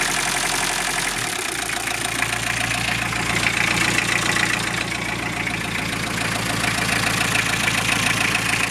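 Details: Toyota Emina/Estima 3C-TE diesel idling with a loose, uneven engine knock, about three or four a second; origin not pinned down.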